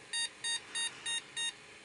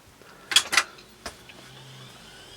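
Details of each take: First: Mid-1990s PC with Intel Celeron 266 MHz that wouldn't boot, after swapping to another RAM set: five short, shrill repeating beeps about three per second, POST beep code pointing to memory fault. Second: Mid-1990s PC with Intel Celeron 266 MHz, powered on with all cards reinstalled: a few clicks, then soft, steady fan hum with faint whine and no beep code; memory test passes, normal power-on to BIOS.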